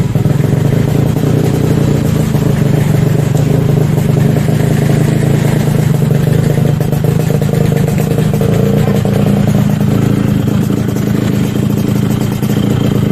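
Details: Yamaha RX-King two-stroke motorcycle serviced for rough engine noise: steady, busy drone holds even speed without stumbling or misfires, running normally.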